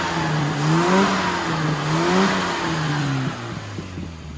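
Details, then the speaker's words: Clean free revs that rise and fall smoothly with no spluttering, after the carburetor needle was changed four or five times to cure a very lean part-throttle condition; normal revving. "That sounds pretty good to me."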